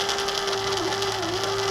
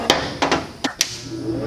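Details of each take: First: Hobart Handler 125 welder wire feed motor with drive gear missing most teeth (about 4 of 10–12 left): steady small-motor whine with brief dips and hitches every fraction of a second; jerky, non-smooth wire feed. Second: Hobart Handler 140 MIG welder, new setup, plugged in after wire drive tension is set: handling clacks, then the cooling fan spins up to a strong, steady whoosh, running healthy.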